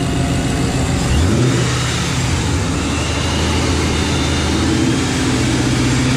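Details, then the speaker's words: 2012 Paxton-supercharged S197 Mustang with new Gen 2 shortblock, warming up after install: engine revs and holds a smooth, even drone, no ticks or knocking heard; normal revving. "I don't hear no ticks I don't hear sounds like what do you think sound insane"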